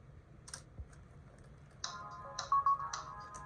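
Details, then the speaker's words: Sony AIBO ERS-210 robot dog booting after a battery recell (new pack about 7.5 V, charged in the station): a few soft clicks, then a clean, bright startup chime, booting normally. "As you can see, he's booting just fine. So yeah, this has been a successful Recell."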